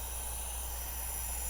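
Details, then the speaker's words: Mercury Optimax outboard fuel-starvation diagnosis: shop air fed to the regulator's air side causes a steady airy hiss over a low hum. Air escapes through the vent holes from a ruptured diaphragm, causing rough idle, stalling and low air and high-pressure fuel pressure. "It's already leaking. It is leaking. Right. These are vent holes right here. That's where air pressure is going."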